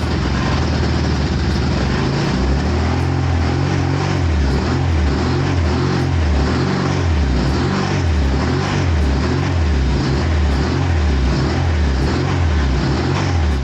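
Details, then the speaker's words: 1986 Suzuki Katana four-cylinder, first start after 31 years, running on choke: rough, throbbing idle swelling and sagging about every second, firing on only two cylinders per exhaust temperature probe; owner suspects a failing coil pack. "although the engine was running it wasn't running all four cylinders"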